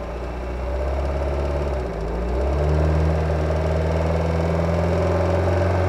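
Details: Kia Ceed G4FG engine, recorded under hood: light regular knock over idle rising with revs when cold under acceleration; disappears after about 10 minutes gentle driving, gone fully warm, no oil consumption; cause unknown.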